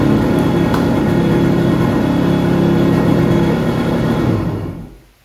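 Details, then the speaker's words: Yamaha XL800 Waverunner 800cc two-stroke, after an engine rebuild with new oil seals, bent low-speed carb needle replaced and carbs set to spec. Steady idle burble for about four seconds, then shuts off, no knocks; runs well, normal idle. "that is music to my ears compared to what it's been when i first brought this thing home and it cranked wide open frog"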